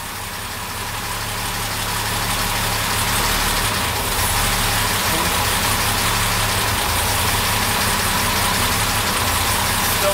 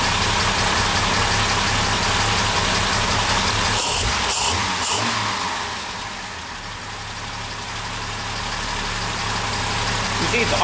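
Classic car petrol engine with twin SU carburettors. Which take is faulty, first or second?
first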